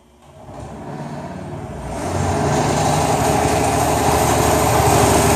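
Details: Replacement new Jet 727200 scroll saw, the second one after the first was returned for severe vibration: motor winds up to a loud, even buzzing rattle at roughly four beats per second, shaking excessively and walking.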